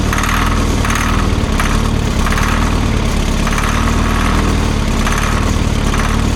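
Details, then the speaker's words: Old Grove crane diesel, unused for over 10 years, cranking after fuel bleeding with fuel dribbling: low heavy drone with an even pulse, but it fails to fire. Owner suspects a stuck fuel shutdown, since fuel reaches the rack. "You know what I wonder if the fuel shutdown is it's stuck because I have fuel all the way up there to the rack."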